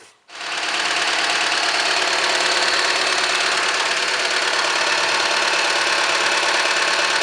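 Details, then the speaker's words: 2006 Opel Zafira 1.6 16-valve Z16XEP: steady idle with quick fairly even light knock, three or four per second, near the intake manifold, louder when warm; valve clearances fine; worn intake manifold flap rattling. "Вот такой штук у этой машины. Но после прогрева он ещё сильнее становится."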